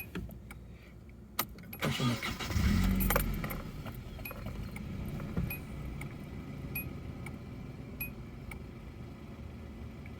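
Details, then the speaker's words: One-owner stock 1993 Nissan 240SX (S13), about 150 hp, with its startup chime: key clicks, short crank, quick catch and flare, then a soft even idle with no knocks or misses; starts beautifully. "still starts beautifully"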